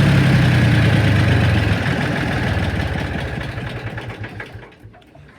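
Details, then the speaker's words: Ford 3000 diesel tractor: revs up and down with uneven, stumbling beats, misfiring from about 1600 rpm, fine at low revs; no pump adjustment found, tight valves suggested, not yet checked. "it's not bad at low revs but when it gets to higher revs i couldn't even miss firing and there's something not quite right"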